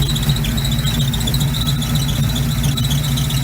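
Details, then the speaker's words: 1971 Chevy C10 yard find being driven after getting it running; a thin steady high-pitched squeal over the low engine rumble, owner says it needs new belts. Belt squeal suspected. "Just sounds good too. Gonna need some belts on her."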